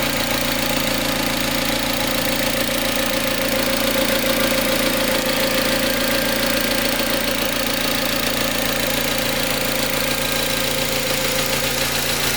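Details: Mazda MX5 Mk3, throttle-by-wire, recorded at idle: a busy metallic rattle at about three to four beats a second over the engine hum, origin unknown.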